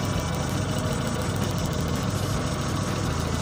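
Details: Plug leads pulled one at a time to find the misfire; pulling cylinder 1 changed nothing, so cylinder 1 is suspected: lumpy idle with an uneven low thumping beat that never settles. Engine misfire.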